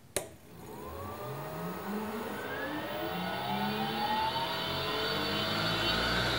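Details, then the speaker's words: Leeson 1800 RPM D80 lathe motor on Teco-Westinghouse L510 1HP VFD, acceleration set to 3 s per 60 Hz, ramping to 120 Hz; smooth whine climbing steadily for about six seconds, clean, no grinding, normal. "so it's scaling it based on the frequency so the the acceleration time that I have set to three seconds is just the time to get to the normal sixty Hertz"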